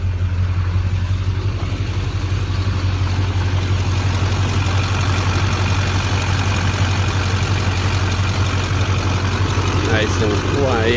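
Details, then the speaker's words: 2001 LB7 Duramax diesel after replacing the belt tensioner and idler pulleys and refitting the serpentine belt: deep steady idle with an even beat and no chirp or squeal. The squeak is gone; normal idle. "no more squeaking. Pressure and everything seems to be holding just fine."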